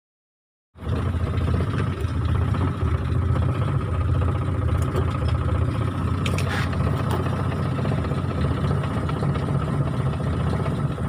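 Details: Mitsubishi T120SS fuel-injected engine with hard starting, brebet (stuttering) and high fuel consumption: low uneven lumpy idle with occasional stumbles, a misfire of unknown cause.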